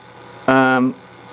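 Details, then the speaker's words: Fischertechnik DC motor driven by an Arduino Mega2560 via a transistor circuit, which had not run until the transistor's jump wire was replugged: brief steady low buzzing whine of the motor now running normally. "Now I hear it whining. That means I hear a motor whining. It all comes down to this transistor. Now it works."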